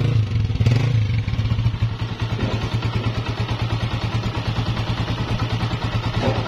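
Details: Honda CG 125, 2017, 30,000 km, after replacing cam gear, half kit, piston rings and engine oil to cure engine noise: single cylinder idles with steady, even thump about three beats a second, no tapping or clatter; healthy.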